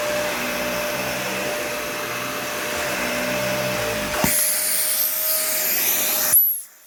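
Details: Nearly new Dyson vacuum, essentially an Animal 1, with a clean filter: a steady high whine with a rough hissy rush, then a rising squeal before shutoff. The owner says the motor sounds really bad, cause unknown.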